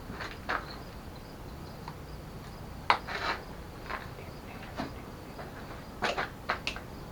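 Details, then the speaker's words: Newly wired accessory relay and switch for front bumper light, 26.4 volts: sharp isolated clicks every second or two over quiet background; relay switching normally. "i can hear the relay going"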